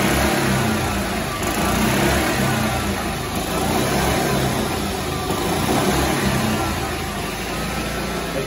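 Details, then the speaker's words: Club Car golf cart engine, governed by transmission RPM, after adjusting the governor spring tab: pulls up and holds a steady high drone around 3450 rpm without surging or hitting the rev limiter; governor set correctly. "that sounds about right 34.50 somewhere in there just depends on the application"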